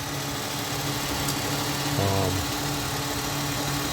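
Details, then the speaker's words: 2001 Ford Mustang 3.8 Essex V6 with P0171 lean bank 1 code, after replacing all six fuel injectors: steady low idle hum with a faint, even vibration, no stumble or shake; idling smoother than before, normal idle. "Well, there it is running. A little bit of a vibration there. It is idling smoother."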